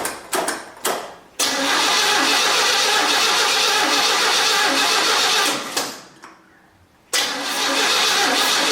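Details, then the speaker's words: 1967 Chevy C10 after an engine swap, just refilled with coolant and not yet warm, before a tune-up (timing, points, plugs): several short cranks, then it fires and runs unevenly, dropping once before catching. Rough running that needs tuning. "thank you boy this thing really does need to be tuned up this is incredible"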